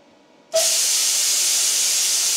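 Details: DIY CNC plasma cutter built from JD's Garage plans, torch fired via OpenBuilds "torch on" command over Bluetooth: sudden loud steady hiss as the torch lights and holds a clean even rush, no sputter; normal plasma arc.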